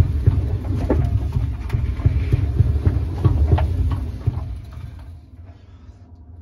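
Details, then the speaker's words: 2016 Maytag dryer (model MEDB835DW3), dirty and lint-filled: a dull low thump about three to four times a second while the drum turns, fading as it winds down; knocking, cause unknown. "from what I'm hearing this dryer is making a knocking noise it sounds like it because I can hear like a knock"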